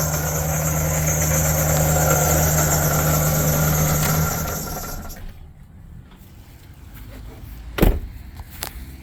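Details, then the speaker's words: 2008 Chevy Silverado LT with 5.3 L Vortec at idle: a steady knock of about four per second, stopped quickly at shutdown. It is a worn water pump bearing, and the pump shaft moves side to side and up and down. High-pressure fuel pump first suspected; replacement pump ordered. "So I'll let you hear how it sounds when it's running. So let's go in and start it up, and then I'm gonna shut it off real quick because it's a bad knocking noise."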